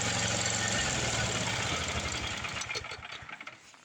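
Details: Craftsman 826 track-drive snowblower after an auger belt replacement (broken belt replaced with a 31-inch belt): the small single-cylinder engine pulls steady under load while throwing snow, then trails off evenly. Auger working, normal running.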